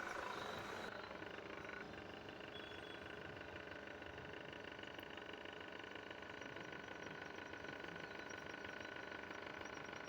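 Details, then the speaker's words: Voltas split AC indoor unit, loud rattling of something striking; fast continuous clattering over the fan airflow at steady pace; blower wheel hub joint broken, fixed by replacing the blower. "Drain tray खोल लिया और यह देखिए क्या problem है जिसके कारण ये आवाज आ रहा है। यह ब्लोअर का जॉइंट टूट चुका है।"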